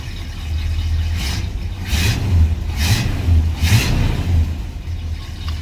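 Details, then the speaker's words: 1984 Chevy C20 V8 with Edelbrock 600 carburetor after tuning with stage 2 jets and largest metering rods; idle rises in four quick blips, picking up promptly, then drops back to steady idle; throttle response a little better: normal. "Throttle response is a little better."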